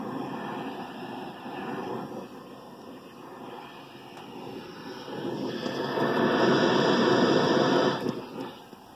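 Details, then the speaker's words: Refrigerant leak from cracked cylinder heard through an Accutrak ultrasonic detector: rushing hiss swells as the probe nears the crack and fades moving away, leak inaudible to the ear. "you hear that not only are you visually seeing that on the LED but you hear it just like you're hearing a leak"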